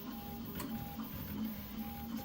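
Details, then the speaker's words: Prusa XL multi-tool 3D printer loading filament after a runout: quiet, uneven clicks and snaps over a soft motor hum as filament is pulled in; extruder clicking, cause unclear, possibly idler tension. "so I'm going to stop it now and then we'll go to the next time it needs to load it does definitely does not sound very good does it sounds like it's"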